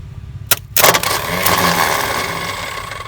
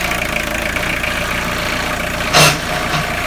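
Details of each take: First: Tata Sumo direct-injection diesel cold start after sitting through the Corona period; starter OK, engine not stuck; cranks steadily but never catches while air is bled by loosening the injector lines, diesel reaching line one: crank no start from air in fuel lines. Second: Tata Sumo direct-injection diesel after long standing, started after bleeding injectors: steady, even clatter at idle with no misses or stumbling; idling normally.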